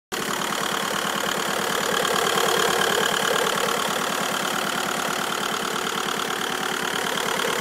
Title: Bruit moteur